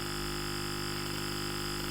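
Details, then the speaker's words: Pure sine wave inverter driving a bare speaker as a test: constant smooth 50-cycle buzzing hum, with slight rattle from the naked speaker and no crackle or warble; normal clean inverter output. "50 cycle hum with a little bit of rattling because the speakers a bit she's a bit naked"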